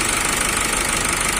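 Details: Nissan X-Trail T31 2.0 dCi M9R diesel after engine rebuild (was misfiring on cylinder 3, P0303, after overheating; valve fault repaired): steady, even idle clatter with no misfire or uneven beat; normal diesel idle.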